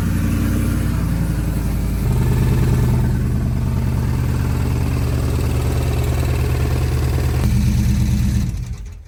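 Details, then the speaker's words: Chevy V8 truck that had driven fine all day, hard, about 70 miles from home, then sounded wrong on the next start; fires and idles with an uneven, rough beat that steps up in speed, then shuts off. Suspected blown motor, cause unclear. "I don't know how well that came through on camera but it sounds terrible in person um and this sounds like I'm going to be poor really really poor"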